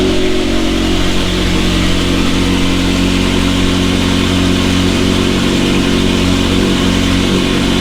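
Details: McLaren 720S engine after repair of Time Attack oil-overheating failure, idling after cold start: steady even idle, smooth low exhaust drone, no knocks or misses; stable oil pressure at idle; normal idle.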